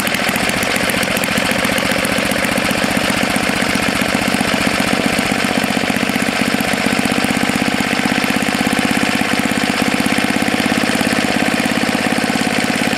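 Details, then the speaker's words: Tecumseh HS40 4 hp engine, long stored, after cleaning a clogged jet and setting the screw about a quarter turn out: steady, even rapid beat with no hunting or surging; runs cleanly, normal running. "it doesn't want to shut off now yeah that's good so it's a good candidate for either the snapper snow blower or for the mini bike you"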